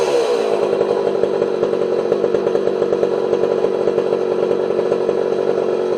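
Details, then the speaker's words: Homelite 240 two-stroke chainsaw after carburetor idle and low jet adjustment: steady, high buzzing note held evenly at speed, no stumble or surging; runs beautifully and cuts well. "but that saw runs beautifully that thing cuts like a demon"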